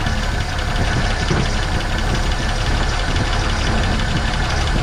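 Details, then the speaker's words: 1970.5 Ford Falcon junkyard car sitting 28 years, first start fed fuel by hand: steady, even idle with smooth low rumble, no misses, knocks, smoke or blowby; runs normally though it won't yet pick up its own fuel, owner suspects dead fuel pump. "Yeah, running. Runs good too."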